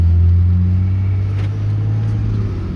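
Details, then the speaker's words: 2013 Ram 3500 6.7L Cummins driving after the locked-up fan clutch repair, coolant at 112; before, it roared like a jet even when cold. Now a low, steady cruising rumble with no fan roar means the fan clutch disengages normally. "There, now we can drive this thing around without it sounding like a jet taking off."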